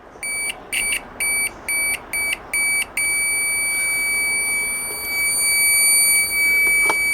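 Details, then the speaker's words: Cheap Chinese multimeter with its continuity buzzer replaced by a louder microwave-oven buzzer; loud piercing high beeps, about seven short then one long tone, strong continuity beep on a good test: normal continuity beep. "Aquí vamos a probar uno ahí ya sabemos Pues que está bueno porque está pitando"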